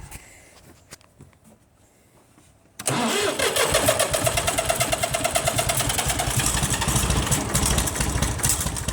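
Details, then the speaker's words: IH 484 mechanical diesel tractor with the air filter removed catches and settles into an uneven, lumpy, stumbling idle, missing on a cylinder. Injection lines are cracked one at a time to find the miss. "So we're going to start it back up, crack injection lines until we find our miss, which that's, no, they're 11/16, which is right there."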